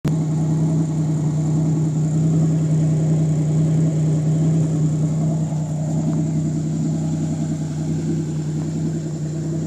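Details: Pontiac Fiero with L67 engine: fast idle with steady hum broken by irregular stumble; misfire with high idle.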